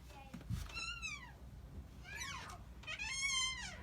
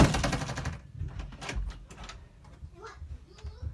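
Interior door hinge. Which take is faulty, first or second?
first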